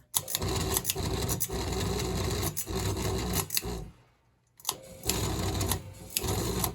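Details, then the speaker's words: NuTone Verandah Deluxe ceiling fan running before repair, stiff bearings: harsh rasping rattle with sharp knocks; bad vibration rattle, bearings later oiled. "Don't worry about that noise. All that is bad vibration, which we're going to look at."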